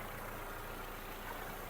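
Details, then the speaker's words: 2007 Volkswagen Golf Plus 1.6 MPI petrol, manual, 212,000 km: starts instantly, soft, even idle with a steady low hum, no stumbles or misfires, no smoke; engine running smoothly. "перевірка стану двигуна заводиться з півтику працює тихо рівно не димить не троїть"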